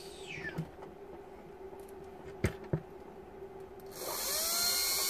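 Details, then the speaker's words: 2004 Mitsubishi Shogun (3.0 or 3.2 diesel) with no brakes, ABS/brake lights and constant beeping from HBB system fault: repaired HBB pump motor bench-tested on 12 V, high whirring spin-up holding a steady tone without grinding; runs healthy. "look at that we try the opposite way although the motor will only turn one way obviously and it's working lovely"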